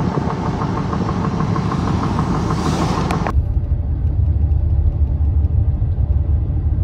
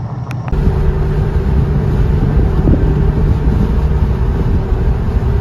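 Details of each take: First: Goodyear Wrangler Authority tires on a truck, recorded on a phone when new, give a low, steady road rumble at cruising speed with no hum, thump or growl. This is normal new-tire sound. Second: Goodyear Wrangler Authority tires on a truck after 40,000 miles, rotated only once, were phone-recorded at highway speed. The front tires' inner lugs are worn on every 4th–5th tread, and the result is a loud, constant low roar under wind noise from uneven tread wear.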